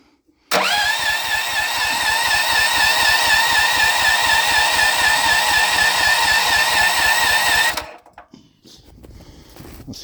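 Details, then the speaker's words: Auction Honda 15HP engine, fuel on, choke on, jumper pack and added jumper wire, electric start working: starter whirs steadily about four pulses a second for seven seconds, never fires; cranks but will not start, battery okay, compression unknown. "that the battery is okay so uh uh not wanting to start"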